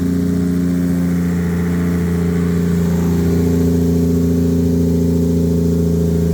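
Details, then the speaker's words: Normal idle and revving: an 800hp 2JZ turbo Lexus IS300, wrecked in a front-end collision and sitting unused, started on a replacement battery with no coolant and was run only briefly. Loud open-exhaust six holds an even idle and climbs smoothly, steady firing, no knocks; healthy. "Woo! Hey! She still runs like a champ. So that's good."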